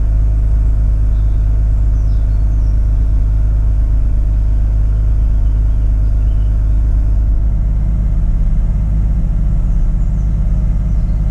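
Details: Mazda RX8 rotary, cold start: rough first seconds, then steady fast high idle with deep even drone and no stumble; warm idle later hunts with low-rpm misfires. Fixed: injectors had been incorrectly wired.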